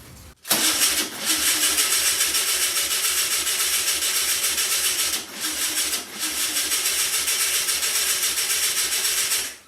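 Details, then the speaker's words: 1964 VW Beetle, first start attempt after over 25 years sitting, unsure the distributor is positioned correctly and whether fuel is reaching it: steady rhythmic cranking at about three and a half strokes a second with pauses, never starts. "Sounds like it's trying. I don't know. I don't know, guys. We getting fuel?"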